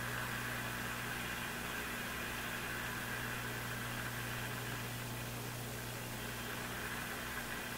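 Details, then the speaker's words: Brand and Millen DR-102U tube AM radio, all paper/wax capacitors replaced, tuned toward 780: steady hiss with constant low buzz, no tuning change; the set is picking up nearby interference. "Now, I will now tune it towards 780. We'll see if it this thing picks up the actual noise signal."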